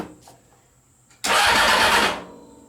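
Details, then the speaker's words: CBR 600 engine in a reverse trike project, wiring test with jumped switch: about a second of brisk, even cranking that never fires; fuel pump not heard running, intermittent weak pump suspected; crank no start. "I don't hear the fuel pump turning over"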